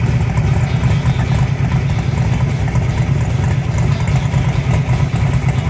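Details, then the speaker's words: Truck just converted to fuel injection with freshly cleaned and refitted injectors, on its first start: fired right up and settled into a steady, even low idle with no misses, knocks or stumbles, like it had just been shut off. "the truck fired right up and sat there in idle like it had just been shut off a few minutes ago"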